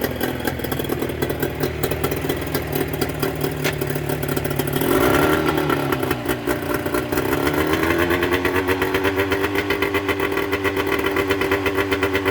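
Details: Mercury 25HP two-stroke outboard in neutral after the Boyesen power reeds are fitted, with the idle being set: steady, busy buzz, one brief blip, then back to a smooth, even idle. Normal idle, running very well.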